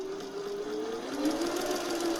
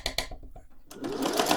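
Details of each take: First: Singer 401A sewing machine with rotary hook, thrift store find not yet lubricated, sewing test: even steady whir holding pitch as speed rises slightly, not rattling the table; no knocking or grinding, normal running. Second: Thrift-store Singer 401A sewing machine at stitch length 0: sharp regular tick about eight per second, knocking inside; owner suspects it just needs lubrication.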